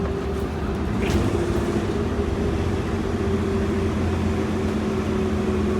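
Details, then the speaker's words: Prevost 35' bus with 6V92TA diesel after maintenance and turbo-side exhaust leak fix, on the road; even deep drone, no puffing or ticking, quieter than before though a small leak remains elsewhere; better pickup; normal running. "oh yeah actually sounds a little different as well it's quieter because no exhaust leaks there is still a little bit of an exhaust leak but it's not on the turbo side"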